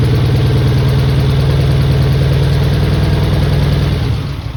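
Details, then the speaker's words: Mitsubishi 3000GT VR4, first start of the new engine on old injectors the owner tried to clean. Heavy, lumpy low idle with an uneven beat, running on only a few cylinders. Misfire blamed on stuck injectors. "Okay. She's running on a few cylinders, not on all of them, but it's a start."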